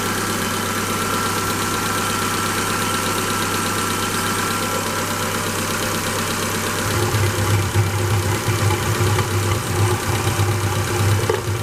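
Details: Engine with hydraulic lifter knock, started after an oil additive (300 ml for 6 litres of oil) was added: steady idle with quick, uneven light tapping, fitting hydraulic lifters not fully pumping up.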